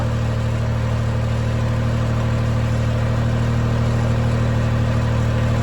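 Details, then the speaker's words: Honda Beat engine with suspected bad bearing, started after oil filter and drain plug fitted: steady idle with a regular knock about three a second, suspected bottom end but not confirmed; nothing felt at oil pan. "I'm not entirely sure cuz I don't know what this engine sounds like good however it sounds like bottom end"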